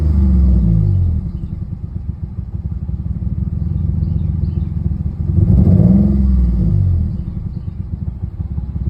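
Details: Nissan 350Z idling with a low rumble and uneven, stumbling beat with irregular dips in the firing rhythm; misfire persists despite just-replaced spark plugs and coils.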